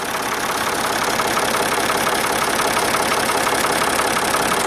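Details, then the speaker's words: Steady, even idle with a regular beat and no knock: hot backhoe (tractopelle) engine after an engine flush treatment, before the oil change, measured around 70 dB versus 81–85 dB earlier; normal idle. "non nous autour de 70 décibels gevrey tout à l'heure on était à 81 85 donc germé n'a rien à voir et à l'oreille ça s'entend"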